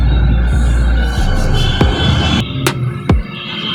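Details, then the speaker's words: Haier top-loader washing machine that won't spin or drain: the drain motor is fed power directly and gives a low hum without turning, so the motor is stalled and faulty while the board is fine; the motor was replaced. "ये आप इसकी आवाज़ सुन सकते हैं लेकिन ये ऑन नहीं हुई। तो इसका मतलब है कि इसकी मोटर जो है वो ख़राब है, बस किट का ठीक है।"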